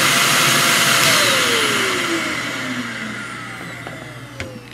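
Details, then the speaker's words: Greenote corded AC stick vacuum (18 kPa, HEPA, bagless) run briefly to demonstrate sound: high airy motor whine with rushing air that sinks in pitch as the motor coasts down after switch-off; quiet, healthy normal running. "Now what I'd like to do is just to run it for you quickly, just so you can hear how it sounds. It's not very loud at all, so we'll turn it on."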